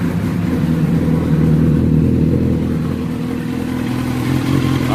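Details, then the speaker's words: Suzuki SRAD 1000 after tightening a loose clutch basket and a loose clutch-side part: steady mid-pitched engine note with no rattle from the clutch cover, noise gone. Normal idle. "galerinha Problema resolvido o parou de acabou a moto ficou perfeita"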